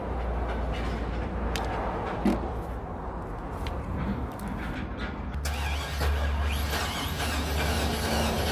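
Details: 2002 Chevy Silverado brought in not starting: the starter turns the engine over about three times a second, unevenly, and it never catches. Cranks but no start, cause not yet identified.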